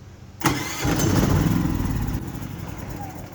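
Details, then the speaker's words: Harbor Freight Predator 3500 W inverter generator, unused a couple of years, new battery: electric starter cranks, engine coughs and stumbles but won't run; carburetor suspected gummed up; carburetor was cleaned to fix. "She wants to try to run, but it just won't. And it's probably the carburetor is probably a little gummed up."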